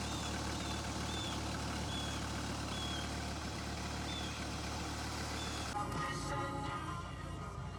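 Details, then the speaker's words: 1993 Dodge Viper V10 at idle shortly after a cold start, manifolds and coolant hoses still cold, recorded up close in the engine bay: steady low burble, no knocks or ticks, only intake air rush; normal idle. "getting up close you can hear there are no mechanical noises or other issues just that the air going in is the only sound you really hear"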